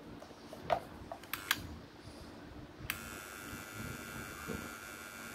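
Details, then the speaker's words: Hitachi cordless drill that would not spin (battery and LED fine), after its control board was replaced and two of the three motor wires swapped to correct direction: a few clicks, then a steady high-pitched whine with no grinding or stutter; runs normally. "dòng khoan pin bo mạch thay thì không sợ bị cháy hỏng có điều nó chỉ có đúng chiều đảo motor mà thôi"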